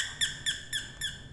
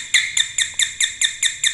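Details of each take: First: Doorbell after repair, replaced faulty capacitor and resoldered broken joint; five clear high chirping tones about a quarter second apart in a quiet room, bell ringing properly. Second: Household doorbell at home: thin high ding repeating about twice a second, then a short gap, much quieter than normal with sparking at the wire; weak chime traced to a swollen failed capacitor.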